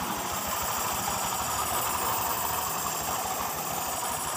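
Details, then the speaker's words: Honda Vario 150 scooter, owner complains of a rough krotok noise from the rear. Rough, uneven gravelly grinding over idle, louder when the rear wheel is turned backwards, traced to the rear CVT pulley. Cause: worn rear pulley bearings. "Jadi untuk suara yang kasar itu murni dari suara klaker dari CVT kulit belakang atau yang lain tidak berbunyi ya"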